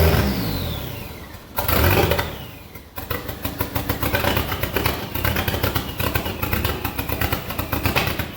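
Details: SRT-4 engine in a drift truck, first test start: after rough catches, runs with a choppy uneven beat that stumbles and surges; rough running because idle air control, TPS, intake air temp and O2 sensors are unplugged.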